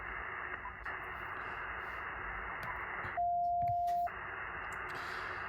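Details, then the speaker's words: HF receiver on an empty spot of the amateur band, moving up in frequency: constant rough hiss and growling buzz around S9, weakening to about S7 higher up; power line interference. "Yeah, there's no conversation happening there, and we still have the S9 background noise. Continuing to move up in frequency. It starts to get a little bit weaker as you move up in frequency."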